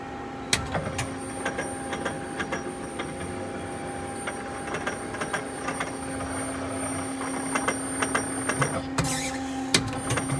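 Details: 1997 Okuma Crown 762S-BB lathe turret indexing: a steady low machine hum with a faint high whine, broken by irregular clicks and sharp clattering bursts; the source of the strange noise is unknown.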